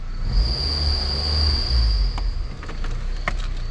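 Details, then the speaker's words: Belt squeal heard from the cabin: steady high-pitched squeal over a low cabin rumble, then fading out; traced to the tensioner pulley, with a shiny spot visible where the belt runs on that pulley. "okay so we've got a vehicle with a belt squeal so i will get in here and show you what i'm talking about first you can hear it"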